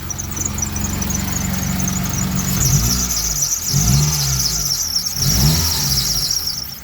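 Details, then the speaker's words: 2003 Mitsubishi Eclipse (3G), engine revved slightly after an earlier noise disappeared: sharp high squeal over the idle that chirps and swells with each throttle blip; owner suspects the alternator belt, also an oil leak present. "ahora tenemos ese ruido del alternador pareciera que es la banda voy a acelerarlo un poquito"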